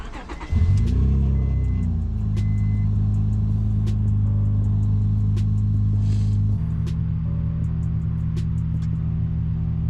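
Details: 2003 Acura TL Type S, after replacing a coil pack to fix a bad misfire: engine cranks, catches, revs briefly, then settles into a smooth, even idle under background music.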